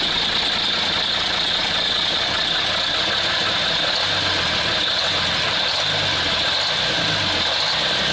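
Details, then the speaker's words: Praga V3S 6x6 diesel truck after injection pump adjustment idles unevenly with a lopsided low thumping; runs rough, cause unclear, owner thinks it may run better under load. "The car works incomprehensibly. Perhaps it will work under a load."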